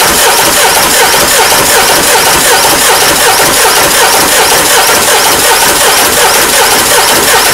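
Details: Peugeot 307 2.0 HDi common-rail diesel that died while driving and won't restart: starter spins the engine steadily, about 160 beats a minute, for a long crank without firing; cause not yet found.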